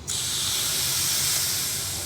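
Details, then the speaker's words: 2019-up Silverado/Sierra after helper air bag install: steady sharp hiss of escaping air as pressure bleeds off, traced to a T-fitting in the line from the bumper that wasn't fully seated. "Uh-oh. It's leaking somewhere. I got a leak. It's coming right. It's bleeding right back off."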